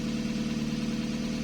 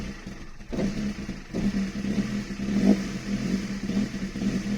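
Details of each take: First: Toyota 2E petrol engine just after installing a 272-duration TRD performance camshaft, first startup then idle: light, rapid valve ticking over the hum, indicating valve clearances are out of adjustment. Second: Toyota 2E with a 272-duration TRD performance camshaft, started after valve clearances were adjusted: low, uneven loping idle with small throttle blips; needs throttle held to keep idling, popping at idle. Lumpy idle from the aggressive cam.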